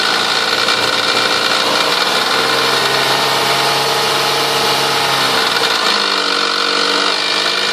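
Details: 1998 Toyota Sienna revved between 2000 and 4000 rpm: raspy whirring with a higher tone rising and falling with revs, sounding stronger from the manifold area and beneath. Car otherwise runs great; cause undetermined.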